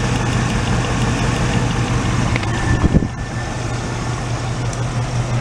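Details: 1986 Oldsmobile Cutlass Supreme V8, sat five years, idling while each cylinder is grounded out with a test light at the distributor cap: rough lumpy idle; grounding number three makes no difference, its plug wire found damaged. Cylinder misfire.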